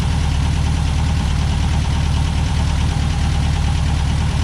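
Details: 1963 VW Beetle air-cooled flat-four with rebuilt Solex 28 PICT carb, after engine compartment degrease: steady, even low putter at idle, no misses, knocks or stumbles; normal idle.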